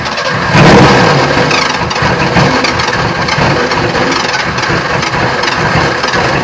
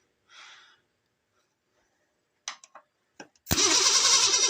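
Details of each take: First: Ford Ranger engine on an improvised fuel setup, hand-fed fuel through a manual injector: cranking with ragged uneven firing that catches and dies; ran for a second with backfiring. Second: Ford Ranger (franger) after rewiring and adding a ground: brief starter clicks and a pause, then the engine catches and roars into a loud steady run; starter issue suspected, starter whacked, jump pack replaced.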